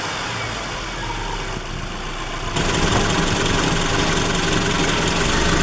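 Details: Engine at operating temperature just above 2000 rpm under light load: regular knocking/popping near four per second, louder with load and vibration; cause undiagnosed after plugs, wires, coil pack, timing belt, oil and fuel changes; owner fears rod knock.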